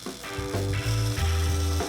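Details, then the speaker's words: Brass-era Ford Model T on coil boxes, switched from battery to magneto and turned over very gently by hand; short steady buzzing bursts show the coils firing, normal ignition coil buzz meaning spark is present. "you hear them Buzz they don't buzz for long right and when you know they're buzzing that means that you're going to have spark"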